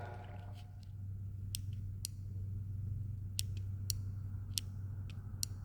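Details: Nova sliding thumb control (amptrol) on an Everlast MTS 275P welder: scattered sharp clicks, a few per second, over a steady low hum; the start switch snaps on with the slightest movement and can light the torch.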